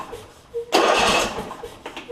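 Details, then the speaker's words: John Deere E140 lawn tractor after swapping in a replacement Briggs & Stratton V-twin engine: a short crank, then it catches strongly and settles quickly to a steady idle; a clean, healthy start. "sounds good sounds good so that's good"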